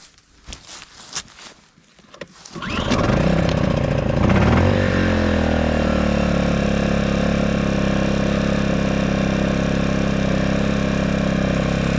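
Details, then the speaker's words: Portable generator, rope-pull start with choke after sitting a while, previously run at its 1,000-watt max and kept outdoors in rough conditions: it catches after a few pulls, then runs with a smooth, steady, even hum. It is running normally. "Worked very hard and it still runs."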